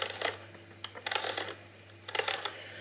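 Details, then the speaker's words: Eufy RoboVac 30C side brush motor running with the robot flipped over: bursts of rapid dry clicks about once a second, suspected broken or worn gear teeth; fixed with replacement gears and silicone grease. "Now, the chances are the gears in there, uh, some of the teeth have broken off or have worn down, which is what is creating that clicking."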